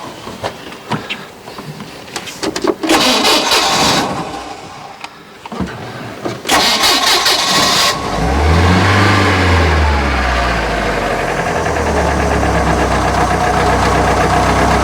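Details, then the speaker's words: Mercruiser 120 hp inboard/outboard in a 1968 Starcraft Islander barn-find boat, first start after a jump-start with the choke opening. It cranks unevenly, catches around eight seconds, revs, then settles into a strong, even run. The engine runs well, though timing appears slightly too advanced. "That thing runs good. That surprises the crap out of me."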